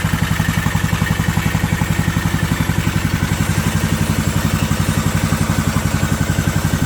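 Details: Briggs & Stratton Intek 18.5 HP OHV engine on a Yard Man riding mower, after a new carburetor, fuel filter, air cleaner and spark plug, valve adjustment and new oil. Even, regular thumping beat at steady speed with no misses or knocks. Running normally.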